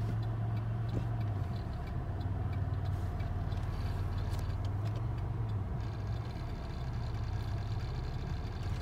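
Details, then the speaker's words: 2006 Chevrolet Impala, pressing the gas: engine drone sags and rises unevenly, an RPM surge; the cause was low transmission fluid, fixed by topping up and a transmission reset with the key in accessory for 30 minutes. "gonna have a 2006 Impala and it's surging low comes pressing on the gas and this what it does and I haven't basically having to adjusted the punch normally stepping on the gas pedal this is I guess what the surging is all about"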